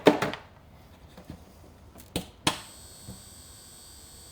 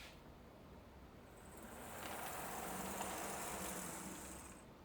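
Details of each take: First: HO locomotive with no DCC decoder, on track switched to DCC power: after a sharp click, a steady high-pitched buzz holds without change; the owner warns that running it long would burn up the motor. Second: HO-scale model locomotive running on analog DC through a new DC/DCC selector panel: faint high motor whine swells and fades as it rolls by, smooth and steady with no clicking or stalling.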